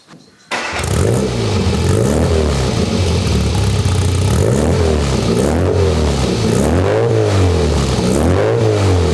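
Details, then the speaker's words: Classic Mini engine, cold start, compression tested good, plugs look slightly rich: catches quickly and settles into a steady, even idle with gentle rev rises and falls; healthy cold start. "but I'm gonna start it up now and keep in mind the engine is still cold so you may see some condensation"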